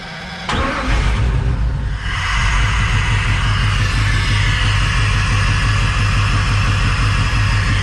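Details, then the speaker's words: Crusader 8.1 Captain's Choice marine engine with new long block, reported running rough and not making rpm: lumpy uneven low beat with a steady stumble, one cylinder not firing; injector issue suspected. "yeah that's running rough it is like a full-on dead hole here let's take a look"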